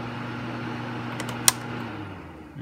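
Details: Suzuki SX4, engine running, coolant temperature simulated on the ECT sensor at about 90°C: a steady fan whoosh with a low hum that eases off as the speed drops. Radiator cooling fan running normally on low speed.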